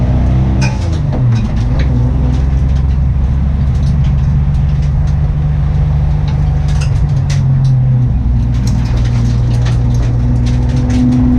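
Deep, uneven idle rumble with an irregular stumble in the beat. It sounds like a cylinder misfiring, cause not clear.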